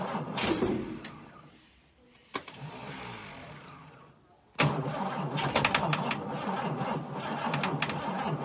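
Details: Abandoned Chrysler Valiant VG (Aussie Mopar), not run since 1997; first start attempt after fitting distributor (slant-six dizzy), battery, coil and leads. Starter churns, engine coughs and catches briefly, dies back to cranking; fires but won't stay running, timing/fuel suspected.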